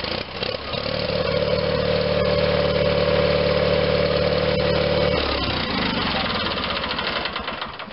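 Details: Onan twin-cylinder engine in a John Deere 318 garden tractor, after repairing the battery charging system, started on a booster pack; catches quickly and runs steadily and evenly with no misfire; normal running.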